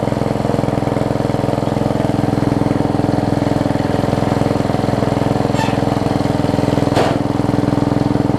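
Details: Yard Machines 38-inch riding mower with a 13.5 hp Briggs & Stratton engine, run after adding oil: steady, even single-cylinder beat with no misses or knocks. It runs normally and the transmission works.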